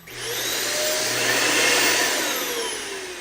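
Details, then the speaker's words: Riccar upright vacuum after fan replacement, main motor run: spins up to a clean steady whir with no rattle or wobble, then coasts down; normal running. "All right, so that's just the main motor up here. I'm I'm going to turn it on and then I'm going to turn this on."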